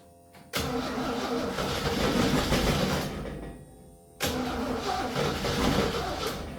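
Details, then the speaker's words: 1966 Jeep CJ5, long-sitting, after ignition rewiring, with a broken plug wire: catches to a rough run that fades, then restarts and catches again but won't settle; carburetor later found leaking gas. "I know this plug wire right here is broken, but we got it to work enough just to prove that this will start. All right, she starts now."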